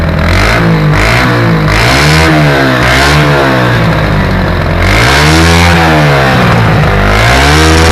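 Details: 1984 Yamaha SR125 single-cylinder revving: rough popping and crackling from exhaust as revs climb, misfiring at high rpm, sounding like anti-lag; owner suspects an intake leak.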